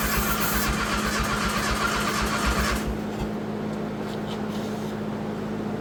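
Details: Turbo Dodge Daytona (1985 Daytona Turbo or 1991 Shelby Daytona) running with no exhaust fitted: a loud, raw open-pipe bark with fast even pulses settles to a quieter steady idle and runs cleanly. Normal running without exhaust.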